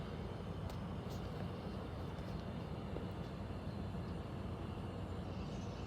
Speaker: is the sound the air conditioner is making in the bedroom. Sounds like it's above the closet.